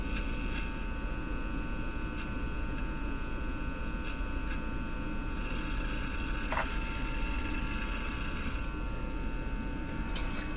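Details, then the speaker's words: Japanese Zephyr Model 1 tube radio powered through dim bulbs at 103 volts, no station received: steady low hum under faint thin whistles, more than expected after repairs; a tube possibly causing it, tube testing next. "really humming. Humming way more than I would have expected after doing what I did."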